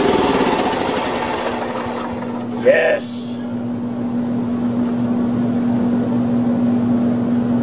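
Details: Honda 3011 riding mower with multi-relay bypassed and solenoid wire disconnected, hot day; steady electric whine with fast rattling as the starter spins the engine without firing; safety switch fault suspected: cranks but does not start.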